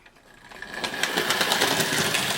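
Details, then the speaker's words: OO gauge 3-rail Dublo Royal Scot loco, converted from 2-rail Wrenn model, picking up speed: rapid ticks building into a clatter; a very clicky runner, nothing obviously wrong seen, cause unknown. "there we got a bit of power there I don't know what this is a very clicky Runner I don't know what that means"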